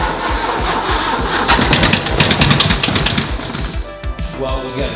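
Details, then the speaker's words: 1970s MGB sitting unused for years: even starter cranking about three turns a second, never fires; no fuel moving, likely run out of gas in the garage. "gas not moving at all. Think this guy ran his car out of gas in his garage."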